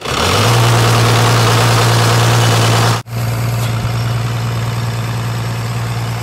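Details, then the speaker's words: Abandoned 1993 Dodge Cummins 12-valve turbo diesel that cranks slowly, with zero compression on cylinder 6: rough, lumpy idle with a regular stumble about four times a second; it runs on five of six cylinders. "I mean we knew that it'll run on five out of the six and she did"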